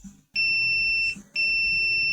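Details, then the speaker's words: Autoranging digital multimeter testing the windings of a large transformer from a 550 A welding machine: two long, shrill steady beeps about a second each, the meter hunting for its range and unable to read accurately. "ele sempre cai no modo el fica procurando a escala então mío impreciso não tem como você medir certo"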